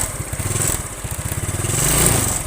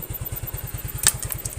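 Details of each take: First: Yamaha Mio scooter before carburetor repair: hesitates on first throttle, excess fuel use, lacks power. Putt-putt idle near four beats a second; throttle blips rise unevenly and stumble before picking up; carburetor problem, worn slide suspected. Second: Yamaha Mio scooter carburetor after rebuild and setting, previously hesitating on first throttle with high fuel use and low power. Now even putter of about nine beats a second at idle, no skips; idling cleanly, normal.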